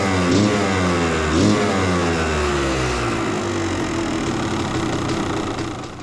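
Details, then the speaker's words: Yamaha YZ250 two-stroke after a Fisch Moto electric start install, no leaks: crisp revs blip and fall back to a steady crackling idle, no rattles or misses; running as it should. "Got no leaks so far, guys. No leaks at all. Down here, I cleaned all that up. It was oil from the back. I think everything sounds like it's supposed to sound."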